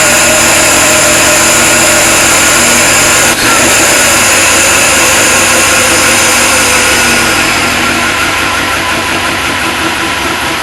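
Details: Supercharged LS1 V8 ute, stone cold first start on a freezing morning (about 7 °C), basic tune: even, steady idle with smooth beat, no ticks, knocks or belt chirp; engine and blower sound healthy.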